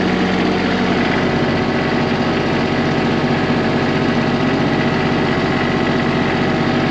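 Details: Small Kubota tractor diesel just started: steady even clatter settling at about four beats a second; smooth healthy idle.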